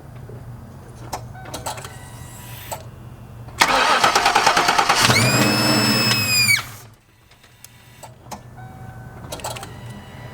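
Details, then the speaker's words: Car with newly installed Typhoon three-piece intake manifold, new gasket and throttle body bolted down, running a custom tune: starter cranks evenly about three seconds but never fires; crank no start, owner plans to reset tune to stock. "but this thing won't even turn on man so I'm gonna try to reset it back to stock right now"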